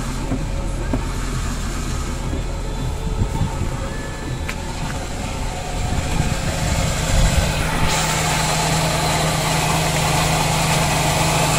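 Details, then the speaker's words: Idling car with clutch pedal pressed: harsh rising squeal and hiss from a damaged clutch release bearing, which pushes the clutch cover springs; squeals whenever the pedal is depressed. "jadi teman-teman bisa mendengar dengan sendirinya jadi suaranya seperti itu suaranya akan berdecit"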